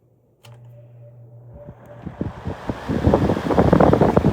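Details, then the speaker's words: 1960s Penncrest model 22 hassock fan, model 9722, three-speed General Electric motor, cord repaired: low motor hum then a steadily building rush of air as blades reach speed; clean, normal fan startup. "You got to love that startup sound though. Look at that."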